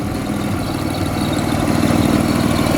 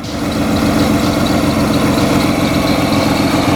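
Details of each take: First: Toyota Corolla drift car with supercharged BMW M50B20 engine and T18 gearbox, just fitted with B28 injectors: steady smooth idle, no knocks or ticks; runs well though richer at idle, normal. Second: Supercharged BMW M50B20 T18 six-cylinder in a Toyota Corolla drift build with a bypass valve fitted; slightly lumpy, uneven idle, running on 5 cylinders because one coil pack was left unplugged.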